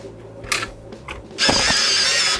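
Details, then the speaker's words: Sharp PC-1251 CE-125 base printer under test: a few short mechanical clicks, then about a second of steady buzzing print-head chatter, printer working normally. "Printer works."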